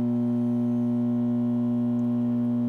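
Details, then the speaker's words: A Whirlpool MH7140XFB over-the-range microwave running gives a loud, steady, harsh electrical buzz and gives off a hot smell. The magnetron, capacitor or diode is suspected; this is before the magnetron was replaced. "it puts out a real loud buzzing noise so we're gonna see what it sounds like right now before i fix it"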